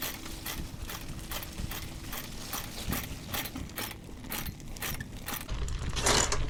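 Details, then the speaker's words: Mini chopper 4-speed project bike running after new carburetor and throttle install: uneven ticking scrape about three times a second over idle as wheel turns; owner says it sounds like the brakes rubbing, unconfirmed, needs fixing. "oh that sounds like the brakes yeah it is"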